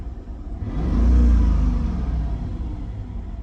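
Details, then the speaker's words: 2002 Mercedes-Benz CL500 C215, dragged car with mangled radiator, power steering not hooked up: one deep rev swells and falls back with an uneven, lumpy note. It runs rough, cause unknown; a separate rattle is possibly a heat shield. "that but it does run rough of course"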